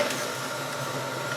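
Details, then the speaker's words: Harbor Freight 40 lb blast cabinet with its draft motor switched on: soft, steady, extremely quiet whir with a faint thin tone, no knocks or rattles; the draft motor is running normally. "See the draft motors on. I know you can hear that on the camera and I can out here too, but it's extremely quiet."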